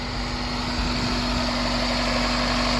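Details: 1995 Toyota Celica GT after replacing the distributor (a failed O-ring let oil into the cap, causing crank-no-start) and retiming the belt: a steady, even idle with a smooth low hum and no misses.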